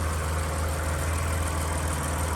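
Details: Breeze XR6 2.5 Aggressor six just started after 5–7 years sitting, no coolant yet: even, low, steady idle with no misses, knocks or ticks, just a smooth quiet hum; the engine runs healthy.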